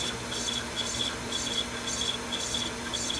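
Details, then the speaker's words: Sony VO-5800 U-matic VTR in full fast forward with an Ampex tape: rhythmic raspy squeaks, about two a second, as sticky-shed tape drags and sticks to the head; machine struggles but runs. "You can hear the tape squealing. Sticky shed syndrome. Crap. Ampex tape. This tape's going to stick to the head."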